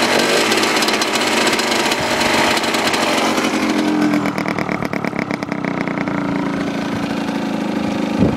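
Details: Husqvarna WRE/SM 125 two-stroke motorcycle idling: raspy, uneven beat that keeps stuttering and faltering instead of running smoothly; cause unknown.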